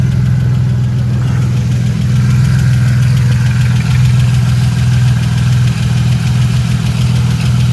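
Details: 1999 Camaro V6 idling after an oil cooler install, with oil pressure good and no leaks: steady even low rumble with no knocks, ticks or misses.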